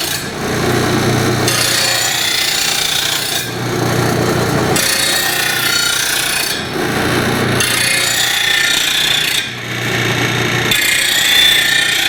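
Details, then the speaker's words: Rotary mower blade on a bench-top stone blade grinder after reversing direction so the stone comes up and doesn't pull the blade in: even rasping passes with steady pitch and no chatter or grabbing. Smooth, controlled grinding. "it's much easier grinding to grind with the stone coming up this way because I'm not getting pulled in so it's truly just how much ever pressure I applied to the blade into the grinding wheel"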